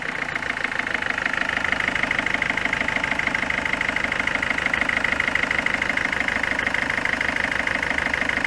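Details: Peugeot 206 1.4 HDi diesel at 188,988 km, which stutters at 110–130 km/h and overheats. Steady, sharp tick-knock about three times a second above the idle clatter.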